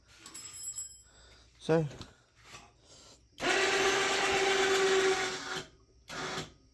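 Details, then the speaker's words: Cheap four-wheeler winch, cheaply installed, pulling under load: about two seconds of steady, rough motor whirr holding an even pitch; sounds rough but works as it should; 5% duty cycle. "sounds like hell but it's working let's hop off here and take a look so it's doing what it's supposed to"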